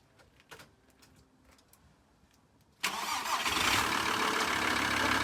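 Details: VW T4 2.5 TDI van, auxiliary belt removed: diesel catches into steady clatter with faint persistent buzz; pump click-knock gone but serpentine belt-drive vibration remains, tensioner, pulley or damper suspected.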